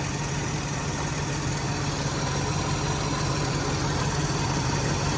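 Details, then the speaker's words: 1994 Mercedes E420 (W124) cold idle: steady, loud droning hum at the front of the engine that stops when the smog pump shuts off, pointing to a noisy air injection pump. "All right, the smog pump just went off. I don't know if you guys can tell, but that sound that was right out here that was real bad is not there."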